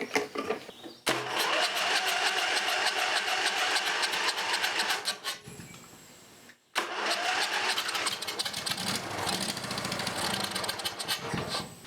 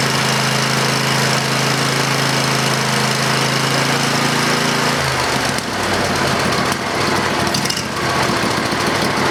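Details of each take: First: Briggs & Stratton 20HP V-Twin Model 40, gas poured into carburetor before carb cleaning: starter cranks, engine catches in a few rough uneven bursts then stops; it fires when primed. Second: Briggs & Stratton 20HP V-Twin Model 40 after carburetor cleaning and reassembly with fuel solenoid hooked up: steady starter hum for a few seconds while the bowl fills, then catches and runs with an even, busy clatter; healthy.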